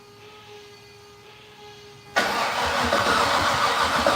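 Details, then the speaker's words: Fatsun, first start attempt in 3 years: starter cranks engine at steady rhythm, never catches; crank no-start, no spark. "let's pull the spark plug and let's actually watch the spark plug you're spark I know I just want to see I want to see it not sparking so that we can go from there"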